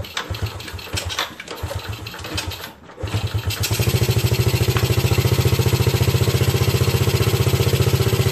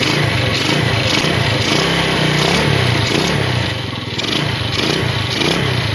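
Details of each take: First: Yamaha Vega RR/ZR motorcycle after combustion chamber cleaning with foam carbon cleaner without engine disassembly: starter churns unevenly about three seconds before catching, revs briefly, settles to idle; still sometimes hard to start. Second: Yamaha Vega RR/ZR single after combustion-chamber carbon cleaning with foam cleaner: steady run with revs rising and falling, no misses or rattles over street background; normal running.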